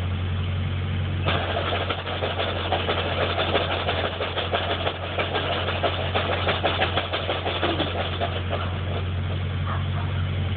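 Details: Engine at idle: constant low drone with a faint rough whir on top; bad throwout bearing suspected, not confirmed.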